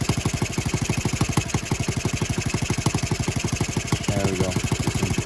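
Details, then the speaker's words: Honda Z50R idling after its cylinder head bolts were tightened to about 10.5 ft-lb (125 in-lb), following a valve adjustment that left them finger tight: even, steady single-cylinder putter with no misses or knocks; leak gone, normal idle. "running across the pattern so no more leaky and no more gassy leak gone again"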